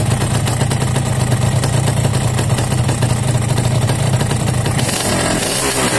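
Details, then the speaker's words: Yamaha RX-King two-stroke six months after piston rebore, block oversize 200 (formerly pinging and knocking from loose piston; owner reports high fuel use, block to be replaced): even, steady idle with smooth low burble, no slap or pinging; judged fairly smooth. "Oke jadi sobat semua ini sudah kita dengarkan sama-sama ya hasil fresh piston enam bulan yang lalu berlebih nah ini kita Nilai saja sama-sama Menurut saya cukup halus Ya lumayanlah"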